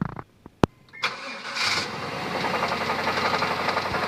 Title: 96 Tahoe rod knocking